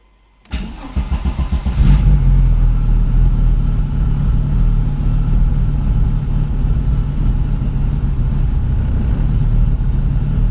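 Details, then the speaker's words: Audi S2 with an HX35 turbo: a few cranking pulses, then a low, uneven idle that wavers and nearly stalls; rough idle. "paremmin se käypi nyttenkin mut tämä meinaan sammua"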